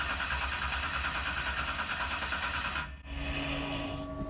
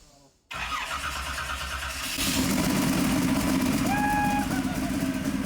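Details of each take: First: 711ci twin-turbo Hemi (Sonny Leonard) in a 19 ft Placecraft jet boat, first start attempt with oil pressure: about three seconds of cranking with no firing; rail fuel pressure perhaps only about 5, too low to start. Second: Starter spins briefly, then the 711ci twin-turbo Hemi in a 19-foot Placecraft jet boat, on its first start after years of construction, catches and builds to a loud, steady, slightly rough run; it fires up and keeps running.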